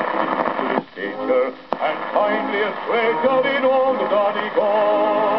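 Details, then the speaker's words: 1934 Marconiphone demonstration record of radio interference. Broadcast music is overlaid with rough buzzing from a nearby electric sewing machine motor, plus a sharp click each time the motor stops and starts. Motor interference with reception. "Notice that besides the interference from the motor driving the machine, there is also a clicking every time the motor is stopped and started."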